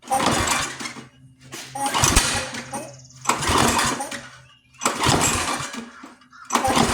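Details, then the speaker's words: Free junk pull-start lawn mower: five pull-cord cranks of rapid chuffing, no firing; no spark seen at plug. Owner suspects flywheel brake/handle kill contact still grounding the motor. "Can you see anything? I couldn't tell. All right, let's see. All right, so I didn't see any spark."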